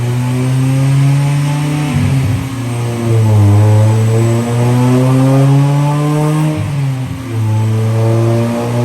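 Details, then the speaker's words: Supercharged 1998 Honda Prelude (Jackson Racing supercharger) on dyno: repeated clean rising pulls with no stumble, big power jump back to factory level, about 159 to the tire; running rich in VTEC. Normal acceleration under load. "I heard a big kick. See what that did there? He's climbing. Climb. Oh, that was a big jump. Big, big jump. Now we're back to factory power."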